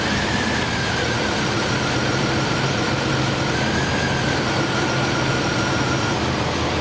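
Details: 1999 Chevrolet S10 4.3L V6 distributor engine with code P0300: uneven, lumpy idle with stumbling beat; misfire from a burnt/eroded distributor cap terminal, driver-side rear position.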